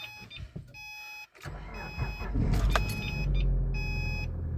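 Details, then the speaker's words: Engine at 210,392 miles with a head gasket leak, cold start after adding two Bar's Leaks radiator stop leak tablets: short crank, catches quickly, settles into a steady, even idle with no missing. "oh wow this started up oh sounds great no missing wow she's smooth"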